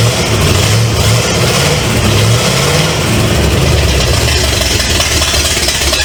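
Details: 1970 Pontiac LeMans with Pontiac 350 V8, first start after sitting for decades, no water pump or radiator fitted: loud, lumpy V8 holding a strong steady beat, picking up cleanly on throttle with good power.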